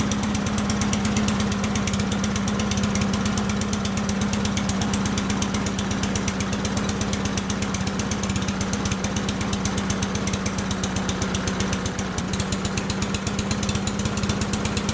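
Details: Cub Cadet Signature Series push mower with bag, just fueled and started on one pull after being found with oil possibly in the muffler: single cylinder fires in a quick, even patter with a steady hum, no knocks or stumbles; normal running.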